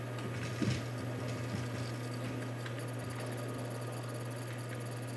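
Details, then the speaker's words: HP Pavilion p7-1235 desktop, original 300 W power supply after years of always-on server use; steady low hum with faint high-pitched squeal and whine from the power supply, not the hard drive, most evident at boot. "you hear that like squealing and weird sounds that's not the hard drive that's the uh power supply um it's really evident if you uh boot it up and i'll show you that in a minute"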